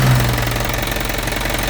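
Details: 2014 Isuzu Elf NKR71 long-chassis diesel truck idling with oil filler open, no smoke and oil not spurting: even diesel clatter with steady rhythmic pulse, no misses or knocks standing out; healthy idle.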